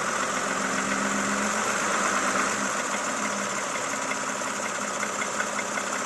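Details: Toyota Camry XV70 3.5L V6, 30,000 km: idling with a light, fairly regular knock a few times per second over steady hum; knock at idle of unknown origin.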